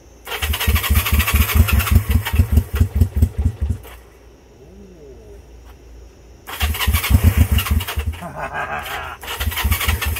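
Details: Honda CB350 twin, first start in 13 years, old brown fuel found: lumpy uneven chuffing in bursts that catches, dies and restarts, running on one cylinder; misfire from dirty ignition points.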